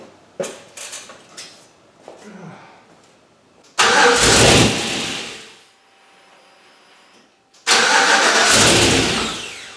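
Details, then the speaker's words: Turbocharged 1961 Chevy pickup with LQ4, first cranking after rewiring the starter relay: a few starter clicks, then it twice fires with a loud burst and dies within about two seconds; cause not yet found. "So then I got that fixed, I got it to crank, it would fire up and then shut off in a second, and as I played with it to try and get it to stay alive a little bit more, there'd be huge cataclysmic backfiring"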